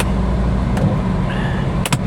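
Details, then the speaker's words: Car that sat in a field for months, just started: heavy low idle rumble loping unevenly with a missing beat; dead miss misfire blamed on sitting too long, which soon starts clearing up. "She does. She's got a dead miss. You know, some of these cars, ladies and gentlemen, they've been sitting out here too long."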